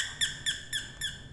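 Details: Doorbell after repair, replaced faulty capacitor and resoldered broken joint; five clear high chirping tones about a quarter second apart in a quiet room, bell ringing properly.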